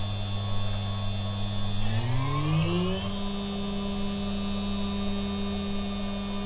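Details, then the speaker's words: Higher-quality 3 kW water-cooled Chinese spindle with better bearings, stepped from 6,000 up to 12,000 RPM: clean steady whine gliding up in pitch, then holding even with no grinding or rattle. Normal running. "now 18,000 and finally 24,000 RPM that's now running at full speed we go back down"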